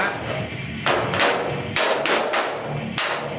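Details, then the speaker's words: VW Type 3 Notchback restoration, hammer-and-dolly panel beating: sharp ringing blows with a hard solid note, dolly visibly flexing, as the metal now sits flat on the dolly instead of the earlier dull gap sound. "It's as if you're just hitting the dolly. You can see the dolly flexing when I hit it."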